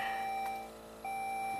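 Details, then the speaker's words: 2006 Saab 9-3 Aero V6 turbo 6-speed manual with a used eBay engine computer plugged in, at key-on: two short chimes, then nothing. No check engine light, warning message shown, no crank, and no communication with the module. "No check engine light. We still get the message. No crank."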